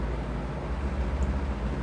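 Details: McGraw Edison Comfort Fan owned since 2007, restored earlier and with a past slipping hub, running on low outdoors in wind: slight low steady motor hum under the airflow, a newer sound, alongside hub wobble; cause not confirmed.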